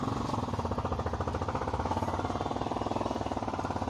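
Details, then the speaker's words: Toofan ceiling fan running: a quick, rough rhythmic chatter, about three beats a second, repeats steadily as it turns. The fan is noisy; after refitting it runs silent. "यहां पर देखिए यह जो ceiling fan है इससे हमारा sound निकाल रहा है जैसे मोबीन के टाइम हमारा सीलिंग फैन यहां पर साउंड कर रहा है"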